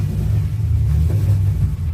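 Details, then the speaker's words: BMW Z4 with newly built custom exhaust and mufflers: deep, lumpy exhaust rumble with uneven stumbling beat, harsh and detonating, missing two cylinders; dies when throttle released; misfire. "It's missing two cylinders. Yes, >> it run. Okay. But it sounds sharp but very detonated. Yes."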